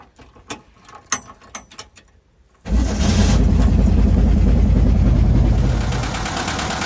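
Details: VW bus with Brazilian air-cooled engine and Solex H30 PIC carburetor, before tuning for stalling at junctions: a few light clicks, then it starts on choke and settles into a steady, even idle with no misses or stumbles.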